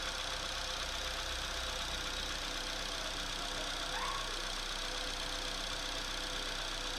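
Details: Opel/Chevrolet Astra engine at cold idle just after start, with an uneven tapping of roughly four per second over a hissy hum; abnormal cold-start knocking noise, source unclear.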